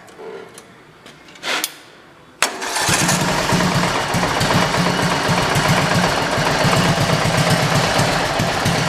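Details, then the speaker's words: Racing lawn mower engine restarting warm after being run: a few weak cranking tries, then it catches and settles into a fast, even putter; idle needs raising, and the owner suspects valves too tight, reducing compression at idle. "I am apparently gonna actually have to race idle up it didn't like didn't like anything started back up after being run so it needs a little bit of idle adjustment"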